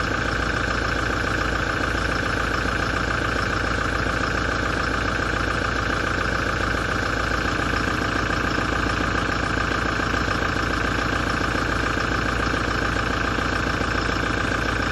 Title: 2017 Toyota Diesel engine noise issue after major service knocking & metallic vibration grinding